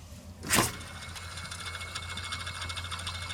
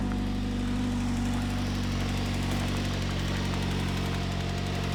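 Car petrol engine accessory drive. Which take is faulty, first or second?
first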